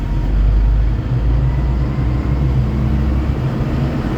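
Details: Hyster H360 big truck common-rail diesel after replacing fuel pressure sensor and accelerator pedal position sensor and calibrating throttle: deep steady rumble holding under throttle, no knocks, misses or surging; code cleared, engine pulls smoothly.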